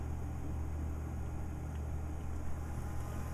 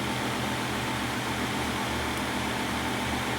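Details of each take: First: Replacement wireless bridge PC for a server rack, lightly loaded with a video card: a low, even buzz with a deep steady hum underneath, unchanging throughout. Electrical buzzing, cause unclear. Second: New lower-heat wireless bridge PC build replacing a Core i5-10600K box, at first power-on booting into Windows. Steady, even fan whoosh with a low hum and one brief electronic chirp, no rattle or grinding. Working fine; normal startup.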